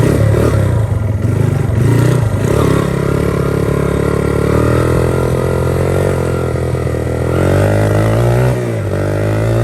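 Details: 1982 Honda XR80 fitted with an XR100 engine, restored after a leaking tank and a tank sealer that nearly ruined the engine. The air boot is refitted with one clamp missing. It starts right up and pulls cleanly through the revs with no misses or clatter. Normal running.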